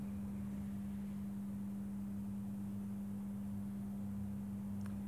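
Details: Mike Smith Metro lantern retrofitted from a CDO lamp to a GEC high-pressure sodium lamp, warming up outdoors with the classic orange glow. Steady low mains hum with no flicker or buzzing changes: normal magnetic ballast.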